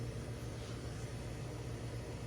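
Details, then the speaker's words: General Electric fridge that stopped with no power, revived by cooling the overload protector socket: compressor now runs with a quiet, even low hum, no clicking or cycling, expected to run a few hours until the protector heats up again. "so this will run my what I read is that this will run for a few hours until it heats up again until the oil protection circuit heats up again and then it will stop running"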